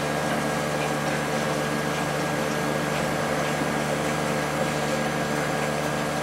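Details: Late-90s Whirlpool Accudry 40-pint dehumidifier (reciprocating compressor, likely Embraco, Emerson fan motor), running open: steady, even hum, constant low tone and smooth fan rush, no knocks; evaporator cold both sides, condenser only mildly warm with little airflow, discharge line very warm; normal.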